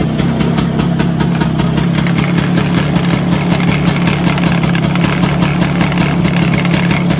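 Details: Vespa PX 125 with 177 kit, restored engine (new bearings, gaskets, piston, rings, lapped cylinder, first-gear parts), first start after a year on 2.5% mix. Steady, even two-stroke putter with a deep low beat, no knocks. Normal idle.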